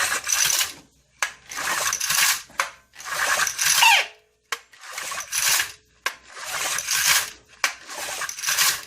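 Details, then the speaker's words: Vintage Honda E300 300-watt generator, probably about 1970, bought at a swap meet; sharp recoil pulls about every second and a half spin it over but it never fires; no spark. "Boy, oh boy. Why is it not sparking, I wonder? I'd take a hit if it would spark."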